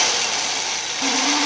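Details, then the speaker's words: 30-year-old Black and Decker drill: steady whir, then sharper mid-pitched whine cuts in; owner blames dust wearing bronze sleeve bushings and abrading the shaft so it fits loosely. "all the dust that goes in goes straight through that bearing AB braids it AB braids the shaft and then it doesn't fit very well anymore and you get this noise"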